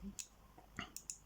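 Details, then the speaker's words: Citroen C4 tailgate release button, tested on the vehicle by pressing it: a few light, crisp clicks in a quiet space; switch working properly. "Here. You hear clicking sound. This is great."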